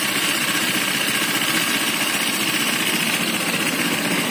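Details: Honda Vario Techno 125 FI scooter running harsh with a busy metallic clatter; oil not mixed with coolant, so water pump is fine; worn piston and cylinder block with excessive ring clearance cause the rough running and coolant spraying from radiator.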